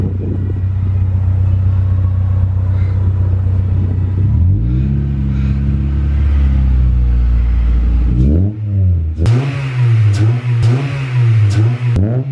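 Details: H22A4 Honda Prelude that idled low (about 400 rpm) and rough; just after throttle body cleaning, engine revs up and settles, then idle turns lumpy and dips unevenly while cleaner burns off, smoking; expected to smooth out.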